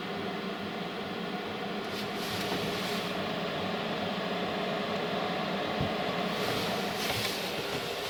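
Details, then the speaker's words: 5kW Chinese diesel heater newly installed in a Renault Trafic campervan, set to 19°C: a steady airy blower rush with faint fuel pump ticking as the fan comes up to speed before ignition; normal startup. "I can just hear it said yeah that's coming through the vent just know it's blowing air but it's air just called it a moment here it gradually picking up speed"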